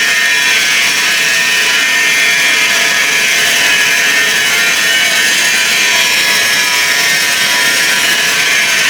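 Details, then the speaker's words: Ariston tumble dryer, 8 kg Class A, running before belt removal: loud constant harsh high-pitched rushing scrape without rhythm; source unclear, possibly drum belt tensioner pulley or motor. "good the noise we can't understand where it comes from because we should remove the belt the cases could be the tensioner motor with the light further down this is belt tensioner this one so drum belt tensioner"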